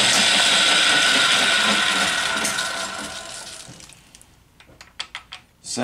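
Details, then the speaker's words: Atlas 10F lathe gear train after cleaning, reassembly and mesh adjustment, one gear still a little tight, before open-gear lubricant: even whir and light clatter with no harsh grinding, then winds down and clicks to a stop; meshes freely. "much better make this gear is still a little tight see what that sounds like"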